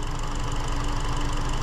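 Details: 2017 Hyundai Elantra 2.0 GDI non-turbo with a very intermittent P0303 misfire since nearly new: lumpy, uneven idle with a dropped pulse each cycle; a scope shows no firing on cylinder 3.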